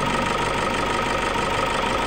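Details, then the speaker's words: Toyota Fortuner diesel after a timing belt failure and repair of bent and broken valves: steady, even diesel clatter at idle with no misses or heavy knock; engine running normally after the repair. "Nah jadi ini Alhamdulillah sudah hidup untuk mesinnya normal tidak ada masalah ya mudah-mudahan Ee awet untuk mobilnya ini"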